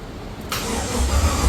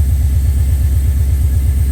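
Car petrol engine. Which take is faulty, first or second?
first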